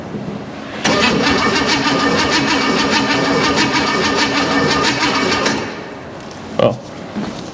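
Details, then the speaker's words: Junkyard Chevy 305 V8 on first start, on premium fuel: catches and runs rough and uneven for about five seconds, then cuts out abruptly after losing ignition spark. "we lost the spark that could be a problem too"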